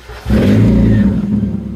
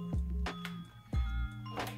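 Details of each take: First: 1990 NA Mazda Miata, OEM exhaust fallen off, running a poorly done straight pipe with no muffler; revs blip and drop with a harsh, crackly, raspy exhaust over the low drone. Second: 1990 NA Mazda Miata with a newly fabricated custom straight-piped exhaust, replacing the OEM pipe that fell off: it cranks and catches, then settles into a deep, steady, even idle with no rattles or blowing. The exhaust sounds healthy.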